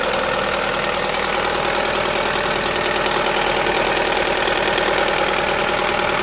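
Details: Opel Astra H 1.6 (Z16XEP) idling steadily with a fast, fairly even tapping near 200 per minute, a noise from the rear of the engine with power loss; cause not pinned down; engine ticking noise.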